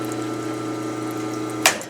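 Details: Grindmaster two-group espresso machine during heat-up with the group heads on and fan running: a steady, even low hum and a short hiss at the end as the pump runs smoothly and water flows.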